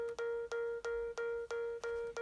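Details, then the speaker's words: iPad beeping while plugged in and charging: clear mid-pitched alarm-like beeps about three per second, recurring; it stops when unplugged, and the owner suspects a poorly seated charger. "You can hear that beeping noise, and this is not the first time it's been doing that."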